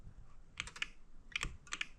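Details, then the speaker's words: Bobcat 751 skid-steer whose glow plugs quit, as gauges no longer drop when the button is pressed: quiet, sharp clicks in small irregular bursts as the glow plug relay clicks; button likely fine, owner suspects a shorted glow plug or blown fuse. "And I can hear the relay clicking back there. So it's probably not a problem with the button itself."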